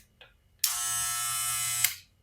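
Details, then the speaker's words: Barber clipper with magnetic motor after maintenance and blade alignment: short burst of steady high buzz starting and stopping cleanly, no rattle or wavering; noisy by nature but motor healthy. "La máquina es ruidosa, de por sí estas máquinas son muy ruidosas, pero pues hacen un excelente trabajo."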